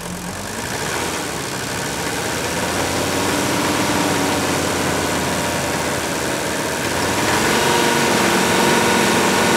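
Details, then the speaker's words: Old Mercedes-Benz diesel, warm, restarted quickly without glow plugs after a cold compression test on cylinder 3 with its injector removed; steady but slightly uneven idle with a faint stumble from one weak cylinder, much smoother than when first acquired. "I think if you listen closely, you can tell it continues to improve, ever so slightly. But this is a lot better than part 1, if you remember how rough this engine ran when we first got it."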